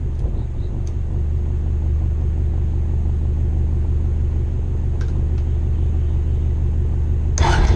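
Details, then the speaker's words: 2001 Honda Rancher ATV left outside for years, revived with new carburetor, fuel petcock, pull start and battery: steady even low rumble, light background taps, no knocks or misses, slight smoke; normal idle. "we're gonna let it run for a few minutes make sure we don't have any leaks anywhere"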